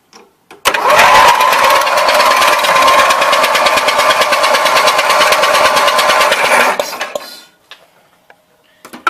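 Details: Roper Rally 18 HP twin Briggs riding mower (5-speed, 44-inch cut), which doesn't start. Starter whirs steadily about six seconds with rhythmic compression beats but never fires. Neither spark plug sparks: cranks, no start.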